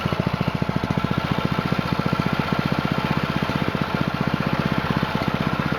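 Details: New Honda GX200-clone single-cylinder on a Split-Fire 2265 wood splitter, breaking in after two 20-minute runs, restarted on idle throttle, choke off: even, rapid putter at steady idle, no misses or knocks; normal idle.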